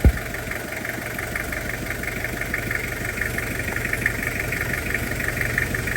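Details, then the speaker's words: Toyota Kijang Krista diesel idling during brake bleeding after a brake leak repair: steady, even diesel clatter with a crisp, regular firing rhythm and no knocks or misses, described as still very crisp and "gurih"; a healthy idle. "Ini suaranya renyah betul masih ini, gurih betul suaranya."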